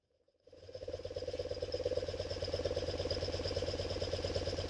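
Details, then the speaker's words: 1974 BMW R90S airhead twin after refitting the upside-down breather flapper valve (it had caused a 'gobble'): the engine catches and settles into a soft, even putter at idle with no gobble; the problem is fixed, normal idle. "I don't hear any more problems. Now, I just got to take some time, clean everything up, start putting some things back together. I think that's taken care of."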